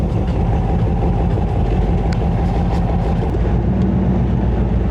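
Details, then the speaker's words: 1923 Speedway Motors T-bucket, small-block Chevy 350, Turbo 350, open cutouts with baffles removed: loud, deep, steady V8 rumble without knocks or rattles; running clean. "Oh yeah, it sounds much better without the baffles in it, doesn't it?"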